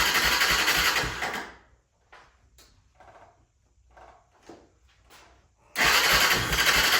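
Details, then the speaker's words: 1996 Honda FourTrax 300EX ATV with airbox disconnected, after reconnecting the starter solenoid: the single fires and runs briefly, then dies into silence before a restart; won't idle on its own, owner suspects the carb and airbox. "So, as you can tell, it does start up. Um, it does run, but it won't stay idling."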